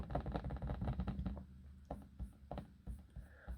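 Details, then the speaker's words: Dell XPS 15 9500 (2020) trackpad making light, uneven clicking and tapping while scrolling without pressing; a loose, wobbly trackpad rattling in its seat, and the laptop is being returned. "That's basically the wobbly trackpad, if you get what I mean."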